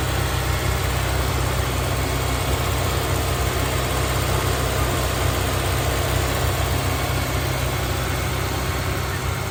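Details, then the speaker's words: Honda S2000 CR, about 532 miles, after fitting low-mileage header, factory catalytic converter and factory exhaust to replace droning aftermarket system: smooth, steady idle with low even hum, no misses, ticks or drone. "And now it's got a factory exhaust system. Sounds so much better, especially for a 1,000-mile drive home."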